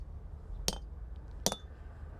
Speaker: one's definitely different its tightening up a lot more it's a lot harder stone there and it's just not it's not crushing so much